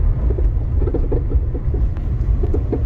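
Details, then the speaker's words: Chevy (Sonic/Cruze) driven over rough test road: small irregular pops and clicks from the right front suspension under road rumble, also heard wiggling the steering wheel; suspected struts, upper mounts, ball joint or sway bar. "Mostly on the right side, what's making that noise, and it's kind of annoying. So that's up and down motion. It could be the struts, upper mounts on the struts, bolt joint, or it could be a sway bar."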